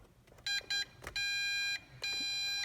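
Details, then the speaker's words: MJX Bugs 3H quadcopter binding after battery inserted and transmitter switched on: two short high beeps then two longer steady tones from the transmitter; normal pairing. "wait for those beeps. At that point, you should see the lights on the quadcopter be solid, and you should be bound."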